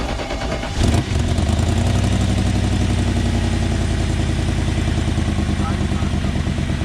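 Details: 1994 BMW 740i after plugging a ripped brake booster vacuum line: engine catches after a second and settles into a smooth, even idle with steady low rumble, no hiss or stumble; vacuum leak fixed.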